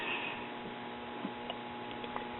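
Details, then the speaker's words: c. 1957 RCA Institutes kit AM tube radio: only a very faint steady hum with soft ticks and no program audio; 6AT6 reading 178 V on plate, later found 6AT6 and 6BA6 in each other's sockets. "it's not doing a darn thing i'm hearing a very very faint hum in the speaker and that's it"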